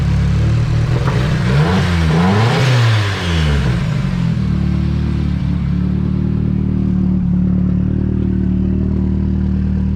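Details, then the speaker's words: Nissan 240SX S13 KA24DE turbo, cold start on old fouled plugs after fuel lines replaced: uneven stumbling idle after a short rev, beat skipping; still misfiring, running very rich; owner suspects fouled plugs, possibly dirty injectors. "I guess it's a cold start. This thing runs hella rich. Let it warm up a little bit. It's definitely still missing."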